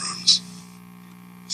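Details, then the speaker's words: 1964 Magnavox Connoisseur AM/FM tube clock radio from an estate sale, before electrolytic capacitor replacement: steady low mains hum under the quiet set between switch clicks, judged not that bad; old filter capacitors to be replaced. "the switch is happening in this and as you can hear the hum in the background it's not that bad"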